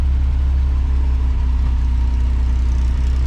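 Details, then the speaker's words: 1979 Ford F100, 300 straight six, Holley 390 4-barrel, dual port intake, header, dual exhaust, after revival from 1992: deep, steady idle rumble with even beat, no knocks; idle still needs slight adjusting, healthy. "But besides that, it's running great. Sounds really cool. Sounds like a bunch of bees when you get on it."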